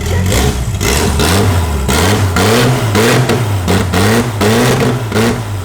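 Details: Nissan GT-R after new spark plugs and refitted coil packs (cylinder three had not been sparking): engine catches and revs up and down cleanly in repeated blips, smooth and even with no misfire; normal running.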